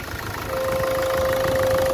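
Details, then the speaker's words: Ford Focus 1.6 at idle: a steady horn-like trumpet tone comes in and holds as pressure vents through the coolant expansion tank; owner suspects head gasket, possibly related to the EGR cooler, not confirmed. "Ford Focus strange noise coming from editing sounds like a trumpet possibly head gasket problem I've never seen this one before"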